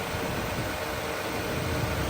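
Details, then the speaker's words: Rebuilt wrecked 3rd-gen Toyota Tacoma idling after first start with fresh coolant added: even, steady idle hum under background hiss, no knocks or ticks, nothing touching; super healthy. "and it sounds good sounds really good that sounds super healthy nothing's touching over there"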